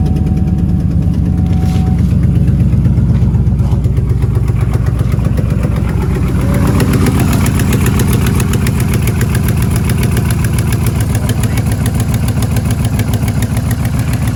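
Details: Trailblazer SS, 176,000-mile LS2 V8 with Kooks headers, run four years without a rear stud; header warped. Deep, lumpy idle with faint irregular puffing tick after header gasket replacement, suggesting exhaust leak persists. Suspected, not confirmed.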